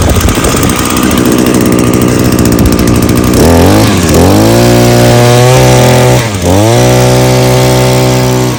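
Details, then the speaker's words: Small two-stroke trimmer-type engine after carburetor cleaning: fires and settles, then revs crisply several times and drops back cleanly without bogging; good throttle response, no carburetor adjustment needed. "as you can hear it's got good throttle response it's not bogging either so no need to do any adjustments so I think we're good"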